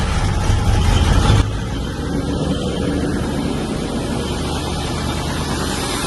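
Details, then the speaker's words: 1995 Range Rover Classic V8, sat over 10 years, after throttle pedal fix, engine at 6°C: catches with a loud burst then drops to a steady smooth idle without stumbling; healthy cold start and idle. "sounds okay so far cold start as you can see yeah when I revved it it was die good I think we're uh I think we're all right then"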